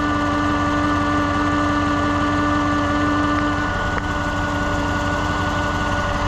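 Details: 2015 Chevrolet Suburban idling with a dead, non-charging battery: steady constant-pitch high whine above a smooth idle, coming from the alternator behind the air intake resonator, which is then replaced. Alternator whine.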